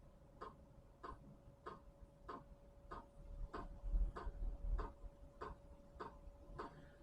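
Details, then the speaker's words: Chinese diesel heater at first start, pump set around 5 Hz: soft, evenly spaced clicks about every two thirds of a second over a faint hum; fuel pump ticking normally while priming the fuel lines. "so far I'm not hearing the ticking that uh indicates that the uh fuel pump is working oh there it is okay you hear that ticking as a truck driver I'm well used to that ticking"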